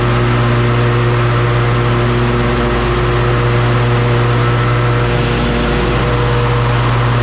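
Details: John Deere S140 48-inch mower after deck belt replacement, blades engaged: steady, even engine drone with blades spinning and constant hum, no grinding or crunching; deck running normally.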